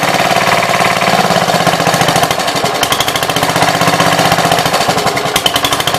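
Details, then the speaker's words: 1966 Gravely C10 single-cylinder after no-spark fix by switching to a battery ignition coil: rapid, even popping at steady speed with no missed strokes; runs cleanly and strongly. "So it works. Apparently I bumped the power wire going over to the starter switch. So that's what I was monkeying with there, and everything seems like it works."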